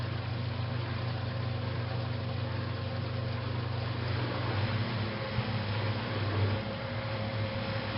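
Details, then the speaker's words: 1956 Whirlpool Imperial belt-drive washer, fully restored, coming into final spin after the rinse: a steady low motor hum building evenly into spin with a faint cyclic churn, with no knocks or scraping. A normal, smooth spin-up. "one thing that I always liked about a whirlpools built machine is they come up to spin so smoothly"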